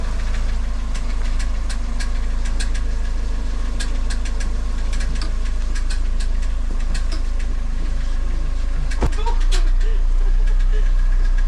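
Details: Sharp, slightly uneven metallic ticks at idle after a variator (CVT) replacement, 200,000 km engine that burns no oil, no knock while driving; owner suspected a small tin plate, the starter gear was found striking the flywheel.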